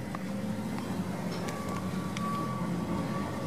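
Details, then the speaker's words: 2001 Acura MDX Touring idling about four or five weeks after a DIY tape repair of the exhaust flex pipe, which burnt away: steady rough low rumble with a raspy edge from the leaking flex pipe. "this is the update on the flex pipe repair that I've done about uh four or five weeks ago so it's uh leaking"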